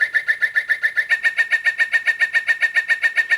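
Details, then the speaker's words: Singing bird clock after movement replacement, hourly bird song: bright, very digital electronic chirps repeating evenly at high pitch; chime working properly. "Very digital sounding. I think that um National Autobond Society clock has got a better quality bird sound."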